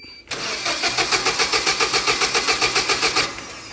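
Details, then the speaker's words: Hyundai 25L with e-controls fuel system, hard-start complaint: key left on before cranking, strong steady cranking about four pulses a second but never fires; power relay times out so ignition gets no power, starts fine without the delay. "No start. However, what I noticed is when you just go to start the machine without that delay I just did, it'll start up just fine."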